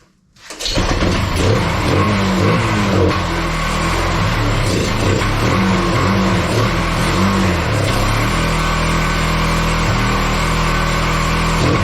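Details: Kawasaki Bayou 220 ATV, sat eight years, after carburetor cleaning: after starting, single settles into steady even thump with light throttle blips, runs clean; some smoke clearing, air filter off, slight fuel line leaks. Normal running.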